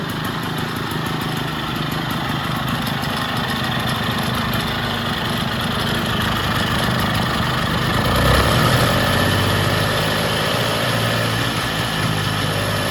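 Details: Vintage Jacobsen two-stroke reel greens mower, first start, extra oil in cylinder and fuel, running off choke with governor not yet sorted; busy two-stroke buzz rises briefly around eight seconds then settles even, no misfires or knocks; runs healthy.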